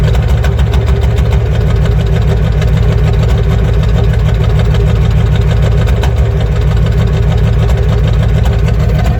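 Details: 1994 Ford F350 IDI non-turbo diesel: loud clatter with an uneven pop about every second, a misfire under acceleration that clears in top gears; fuel filter, return lines and thermostat already replaced; cause unknown.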